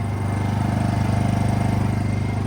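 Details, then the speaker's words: Honda EU2000i generator after cleaning a badly fouled carburetor and adding a fuel shutoff mod so the carb runs dry. Steady, even low putter at constant speed with no misses or surging: normal running. "So now it'll run until the carburetor runs out of fuel. So you will never have bad fuel sitting in your carb anymore."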